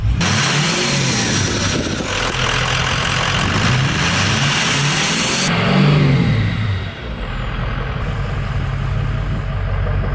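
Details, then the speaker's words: 6.0L Powerstroke diesel after installing new intercooler pipes to cure a boost leak: deep note pulls cleanly up the revs and drops back with no hiss or whoosh; normal revving, boost leak gone. "wow there's no boost leak at all [Music] anymore"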